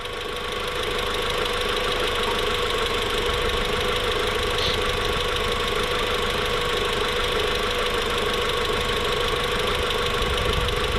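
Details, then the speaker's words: VW Mk4 1.8T after rebuild, first startup at idle, steady 850–900 rpm, no check engine light: light quick even ticking from the top-mounted injectors, not lifter or valve tick; engine healthy. "the noise is coming right from the injectors if it was valve tick or lifter tick it'd be a really loud um metal noise this is actually just injected"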